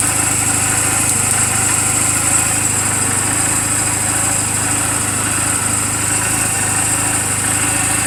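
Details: 2007 Honda Rebel 250 idling in neutral just after an oil change and valve clearance adjustment: an even, steady single-cylinder putter with no knocks, ticks or misses. The charging voltage reads about 13.0–13.4 V running. A normal, healthy idle.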